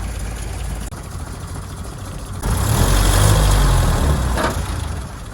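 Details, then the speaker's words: 1977 Land Rover Series III 88" that lost power and stalled, revved from rough idle; stumbles and backfires instead of pulling cleanly, due to fuel starvation from a carburettor clogged with dirt likely from the recently replaced fuel tank. "Oof. So we can hear there's a bit of a backfire. Anyway, we're going to investigate. Hopefully it's not a blown head gasket."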